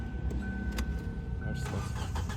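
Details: 2007 Kia Sportage 2.0L cranks at an even, steady pace but never fires. Fuses, ECM main relay and control board were checked or replaced without change; the crank and cam sensors are not receiving positive voltage. Crank, no start.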